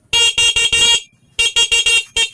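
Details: Motorcycle horn that would not sound, after switch and wiring tested good and horn replaced with new: short, loud, bright beeps at steady pitch on each press; horn works properly.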